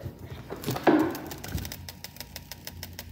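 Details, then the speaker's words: Household fridge, noise heard when door opened: after handling thumps, a faint, fast, regular ticking about eight times a second; source unclear. "This could be a really interesting one because there's a weird noise in the fridge."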